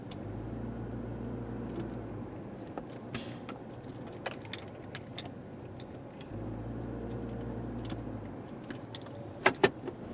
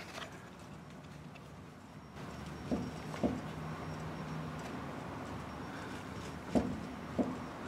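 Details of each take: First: 2003 Chevrolet Trailblazer driven over rough pavement with front sway bar removed to isolate clunk: steady road rumble, light key jingle, no suspension knock; sway bar links/bushings confirmed as the clunk source. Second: 2003 Chevrolet Trailblazer, right front wheel off the ground with a jack under the lower control arm to load the ball joint: faint dull clicks each time a pry bar levers it, remaining looseness in the lower ball joint, part of diagnosing a clunk over bumps.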